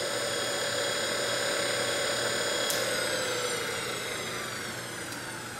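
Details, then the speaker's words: DC motor from a 1974 Karmann Ghia EV conversion, spun from a good battery at probably around 3,000 rpm, internal fan blowing air: clean steady high whine over low even hum, easing off at the end; no scraping or knocking, sounds real good. "so that's what she sounds like it's probably 3,000 RPMs for getting close to it sounds real good"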